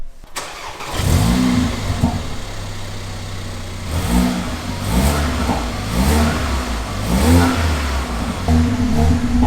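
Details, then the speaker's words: Mercedes A45 after welding a broken bracket in the engine bay that caused a rattle: engine catches, settles, takes several clean blips with no metallic rattle; normal start and rev. "think we're good to go now yeah that rattling sounds when he's gone now so it's obviously the uh the bracket that was making that sound"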